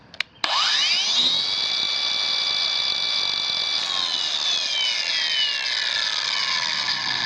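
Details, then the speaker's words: Kobalt 5-in cordless angle grinder KAG 424B-03 on an Extended Run battery: motor whirs up quickly to a high steady whine and keeps running normally. "right, no problems, right? Starts and stays running."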